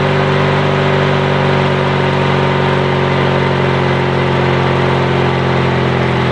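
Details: Yard Machines/MTD lawn tractor, 20.5HP Briggs & Stratton twin, after new starter, solenoid and battery: fires up and settles to a smooth, even drone with no knocks or misses; runs healthy, no-start fixed.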